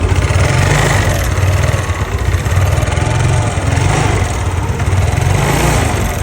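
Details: Yamaha Nouvo Z scooter after restoration with bore-up, CVT reassembly and a fully cleaned carburetor: the single cylinder runs with a steady, even putter, revs swelling and settling smoothly with no ticking or rattle.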